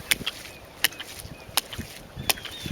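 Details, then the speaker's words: Test run of a hydraulic ram pump fed from an IBC tank at about 4 ft head, delivery valves closed: sharp water-hammer clacks repeat evenly about every 0.7 s as the shock wave travels back up the pipe; normal cycling, building pressure. "You can tell the vibration is the shock wave that shoots back up that pipe and actually inside the tank."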